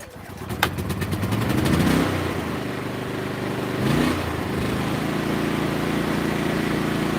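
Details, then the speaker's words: Portable generator, pull-started with no load attached: catches and settles into a steady even hum with no misses or surging; normal start and idle. "that's how it's supposed to sound that's the fifth time generator right there"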